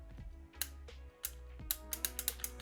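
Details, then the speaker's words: 1985 Tomy Chatbot robot, speaker unplugged, first power-on during repair: low motor buzz starts and stalls in fits amid clicks as the speaking mechanism strains without running; owner suspects the motor. "okay that didn't feel very good I think it's trying its hardest to start the speaking mechanism"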